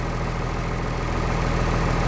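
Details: 1996 Blue Bird diesel bus idling in cold weather, 50 psi oil pressure, alternator charge coming up, half fuel; deep even diesel idle with steady low rumble and no knocks or misses, normal healthy idle.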